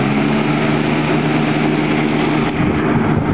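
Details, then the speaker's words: Patton Electric three-speed box fan, about 14 inches, model and age unknown, owned since the late 1980s, with a large standard (not pancake) motor, just switched on high and moving a lot of air. Steady rush with a smooth low hum, no ticking or rubbing: normal. "first let's turn it on it's on high"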